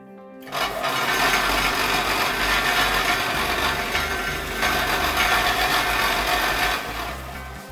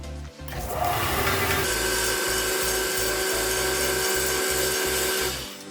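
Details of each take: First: Overhauled combined belt and disc bench sander with new bearings, upper roller bushings replaced by bearings, test run on taped used belt: harsh loud rattling roar pulsing 3–4 per second; upper roller noisy, rubber dampers planned. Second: Combined belt and disc bench sander after overhaul with axial play shimmed, belt fitted and being centred: steady even motor hum with light sanding hiss and soft pulse, no rattle or knock; normal running.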